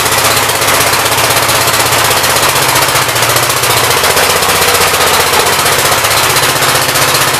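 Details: 1959 Gravely L/LI single-cylinder engine with 20-over piston, oil that drained out mostly water, throttle bumped up: fast even popping held steady, no misses or knocks; runs well with awesome oil pressure; normal running.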